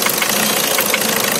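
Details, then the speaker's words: Volkswagen Vento 1.6 TDI diesel with an injection/starting fault: idle turns rough and knocky, starts missing and nearly stalls, jerking when the engine wiring is moved; loose engine wiring to the injector circuit suspected. "देखो ऐसा, देखो missing होना start है, देखो बंद पड़ेगा। सो मतलब problem यही है, इसका जो वायरिंग है, वायरिंग किधर से तो लूज कर।"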